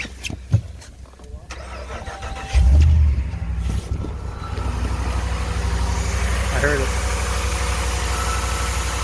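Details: 2019 Ram 1500 cold start: engine catches, then a thin high squeal over the cold idle; alternator, battery and battery sensor replacement did nothing, replacing idler pulley and tensioner together cured the belt squeal.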